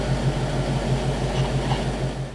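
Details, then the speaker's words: 1960 Pontiac barn-find V8, low miles, warming up at idle on fresh 10W-30 oil and filter after Pertronix electronic ignition and Flame Thrower coil fitted: steady, even low rumble with a smooth regular beat, no knocks or ticks; normal idle. "So I'll just let it warm up here a few minutes with the new oil, and we're done for the day."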